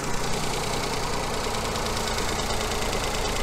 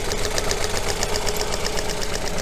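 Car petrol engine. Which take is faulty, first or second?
second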